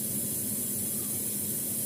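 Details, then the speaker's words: Semi-inverter refrigerator shortly after power-on, with the condenser fan motor running and the compressor active: a soft, even hiss over a low, steady hum with no knocks or rattles. Normal running. "Oke kita tunggu dulu Berapa saatnya ini file motor sudah bekerja hatinya kompresor sudah aktif"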